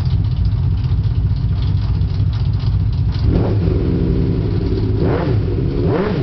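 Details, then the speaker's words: Andreas's hand-built V12 CBX motorcycle running down an alley: engine blips and settles over a deep rumble with a light loose rattle, identified as a regular 1979 Honda clutch rattle; a second click possibly an exhaust leak. "so I hear a couple of noises yeah okay tell me so I hear one that's definitely a Honda clutch rattle"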